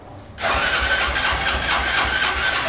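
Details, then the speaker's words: Motorcycle with original engine and 190 cylinder after failure while riding: harsh rushing crank starts suddenly and never catches; no-start with destroyed connecting rod and piston. "aqui foi tudo galera aqui foi biela e pistão"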